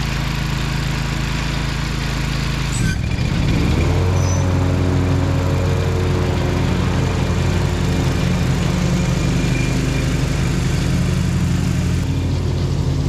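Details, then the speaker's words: Gravely ZT60 HD zero-turn mower after swap to a used Kawasaki 26 hp V-twin engine, fresh oil and new blades: engine catches and settles into steady even idle with smooth low drone; normal start and idle. "so we're going to fire it up and test it out a little bit here"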